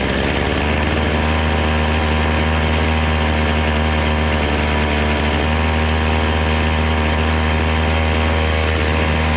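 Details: Chainsaw after carburetor low- and high-speed jet adjustment: steady, even drone holding one speed with no stumbling or hunting; properly tuned, running normally.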